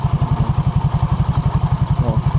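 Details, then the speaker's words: 2020 Honda Vario 150 with noisy CVT, idling: after spraying the lip the noise partly goes, leaving a steady dull low "blok blok" rumble from the secondary pulley bearings, heard when the rear wheel is held still. "di bagian sini suaranya hilang tinggal di bagian suara blok blok di bagian sini di bagian kulit sekunder tuh"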